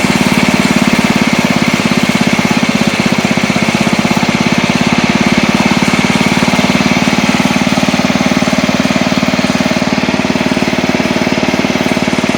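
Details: Old Montgomery Ward Power Kraft riding mower cutting with blade engaged, air filter off: steady, even single-cylinder chug holding speed under cutting load, after earlier stutters in gear; engine runs clean, normal running under load.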